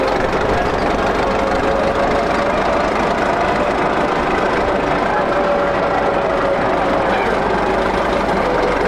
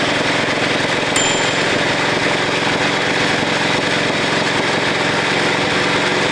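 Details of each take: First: 1941 Caterpillar dozer, sat for a few years: steady diesel clatter held at idle with no surging or misses; it will only idle so far. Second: 1941 Caterpillar dozer, sat for years: small pony motor chattering fast with a harsh grinding rasp as its drive gear won't engage and turn the main engine flywheel; cause suspected, not confirmed.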